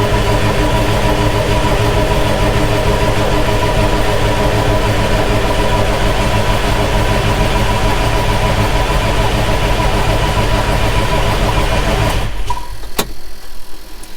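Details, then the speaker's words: John Deere 6170M tractor diesel after an engine rebuild, on a NOCO booster: steady, laboured cranking at about two beats a second that never catches; an untightened common-rail line was bleeding off rail pressure, causing the no-start. "Oh, looks like we had a line that we didn't tighten up on the rail, which would explain why It's not starting. All it takes is one of them to bleed all your pressure off on a common rail, and she ain't gonna start."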